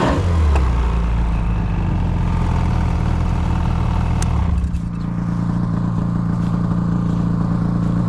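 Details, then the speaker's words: Ski-Doo XRS snowmobile after backing up, clutch reportedly getting weaker: engine revs with rough clattering rattle that fades; abnormal drivetrain noise when revving, secondary clutch later let go. "Get on it and try to move it. It sounds like something. Yeah, it is. Something's wrong with it. Give it some gas."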